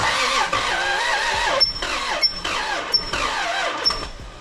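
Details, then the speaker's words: Lexus IS300 with 2JZ engine, first start attempt after new engine and transmission mounts, fuel in tank, battery charging: laboured uneven cranking bursts, no catch, sounds binding; owner wonders if seized, later finds bell-housing dust cover sucked into flywheel, unsure that's the cause. "Is it seized? It almost sounds like it."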